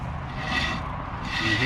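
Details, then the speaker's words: RV 5th wheel trailer electric brake drum turned by hand, rusted and worn brakes from salt air grind inside with a dry scraping rasp; replaced with a new Dexter electric brake assembly. "it grinding a little bit in there, which is either here or there."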